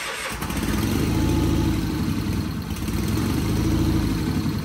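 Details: Sears Craftsman FF24 small engine on its first start after engine removal and an oil pan gasket replacement: loud uneven thumping with a wet gurgle and oil spraying out; it fires right up but runs rough.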